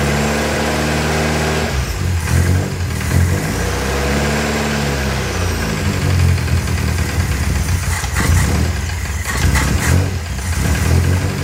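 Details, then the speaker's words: 1959 Alfa Romeo Giulietta, parked a few years, cold start on choke: cranks briefly, then catches and stumbles with uneven, surging revs and a sputtery beat; owner notes it stutters a lot when cold. "I know it stutters a bunch when it's cold. Let's go see what it does when it warms up."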